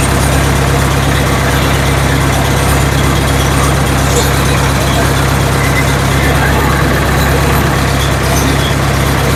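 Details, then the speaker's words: Ford 7000 diesel tractor running in a shop after timing was corrected, the cause of its earlier no-start; steady, even idle with a firm low thrum and no knocks or misses; normal idle. "He helped me with the timing. Turns out that was the issue. Thing runs really good."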